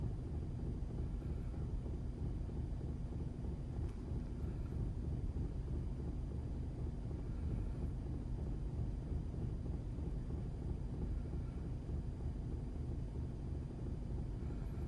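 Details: 2006 Audi A4 B7 petrol engine, morning cold idle outdoors: deep, slightly uneven rough rumble, wind on the mic; cause unknown.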